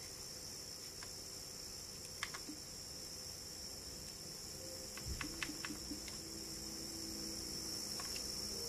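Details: Xbox One console emitting a steady, thin high-pitched whine with a faint lower hum underneath while playing digital games.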